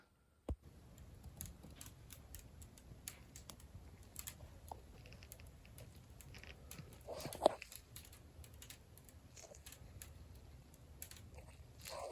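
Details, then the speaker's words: Freshly grouted glazed clay tiles in a bathroom and shower give sparse, faint dry ticks and crackles in a quiet room while the grout is installed; cause unknown, and the tile has performed normally for a year since. "Has anyone else had any experience with glazed clay tiles crackling when you install the grout?"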